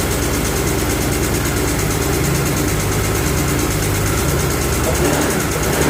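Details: BMW E46 M3 S54 inline-six idling with a lumpy, uneven misfire that began suddenly at a stoplight; swapping coils didn't fix it, and the cause was a broken rocker arm retaining clip.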